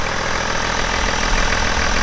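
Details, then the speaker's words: BMW E61 530d M57N 235 hp diesel, cold start after broken timing chain repair; fast start settling into even, steady diesel clatter, no knocks or misses, healthy cold idle. "okay pretty fast start seems pretty smooth for a cold start"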